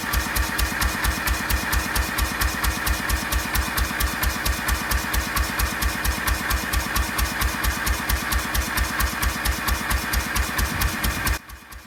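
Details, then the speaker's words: 1926/27 National 5V petrol-paraffin engine running hot on kerosene under load after new rings and magneto work, twin silencers: crisp even exhaust beats about two per second, steady until shut off; normal running. "It's got a lovely sound to it. There's actually a silencer under the engine and the Lister silencer on the end, so it's very quiet."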